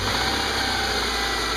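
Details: Subaru with a P0302 cylinder 2 misfire code, earlier rough-running with spark arcing audible at the coil pack, first start after a crimped replacement ignition cable: steady even idle, no stumble; the engine runs healthy on all cylinders.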